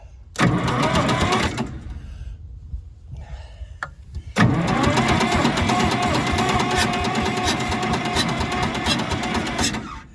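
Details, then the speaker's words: Massey Ferguson 200 crawler loader cranking with uneven sputtering pops, firing weakly without catching or smoking despite fuel on; suspected backfire through an intake valve and engine problems, not confirmed. "Now, it's making a little fire, but it sounds like it's backfiring through a valve. So I'm thinking there's engine problems."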